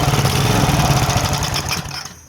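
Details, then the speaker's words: Power Trim edger, barely used, before repair: small engine pops unevenly, speed bouncing up and down then fading; hunting because the Pulsa Jet carburetor's diaphragms don't give a continuous fuel flow, fix is cleaning and a new diaphragm kit. "you'll be able to see that this thing is just bouncing back and forth back and forth it's asking for more gas"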